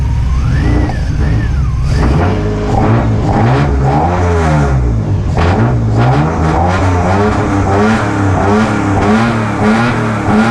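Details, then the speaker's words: Widebody right-hand-drive BMW E36 with individual throttle bodies, running without MAF on an alpha-N tune: idle surges up and down about once a second, sagging and dying; unstable idle. "So it idles and it dies. So that's what I've been having issues with, is even if I get it you see, it wants to"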